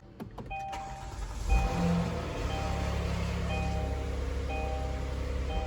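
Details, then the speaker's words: 2016–2020 Kia Sorento 3.3 V6, after spark plug and ignition coil replacement: short crank, quick flare, then steady even low idle with no stumble or ticking; sounds normal. "Sounds just like a normal Kia engine."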